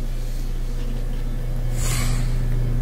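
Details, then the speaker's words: Kenmore washer-dryer combo, dryer belt had slipped off and was refitted: steady low motor hum with even drum rhythm, no slapping or squeal; drum spinning normally. "We have power turned on. Press it to start it. And I can hear it spinning."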